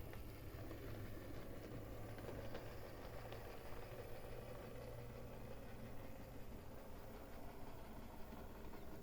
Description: Today I would like to show my Lima 218 with the noisy motor issue solved.